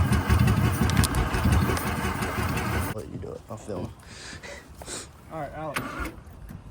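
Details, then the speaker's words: 1985 Mazda RX7 rotary, first start after sitting 30 years in a garage, fuel pump now running, fuel sprayed into the intake, in neutral with throttle opened: rapid cranking with loud bursts of near-firing, catching but not yet running on its own. "open the throttle oh oh getting there we've almost got this thing started"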